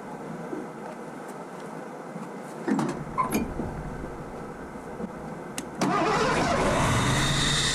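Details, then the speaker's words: 1984 Ford LTD Crown Victoria after distributor and automatic choke work: cranks, catches and holds a fast steady idle; the idle screw isn't touching and can't adjust it. High idle, cause suspected, not confirmed. "I mean seems a little high to me really I mean this isn't anything like this isn't even touching so the screw really does nothing to adjust this"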